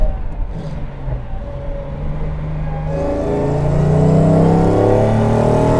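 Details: Mercedes-Benz 300 SL Gullwing on its road test after recommissioning from years of inactivity, throttle opened fully: the engine note climbs cleanly and evenly with no misfire or knock; a strong, healthy pull.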